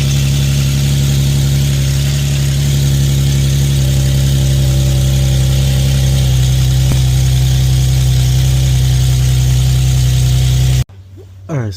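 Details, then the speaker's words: Infiniti FX37/QX70 V6 idling on its first start after an ISR Y-pipe install; steady idle with a faint rhythmic puff from an exhaust leak at the Y-pipe flange, which the previous owner had scratched out of flat. It was then sanded flat. "I turned the car on I noticed that it was kind of like leaking from right here quite a bit"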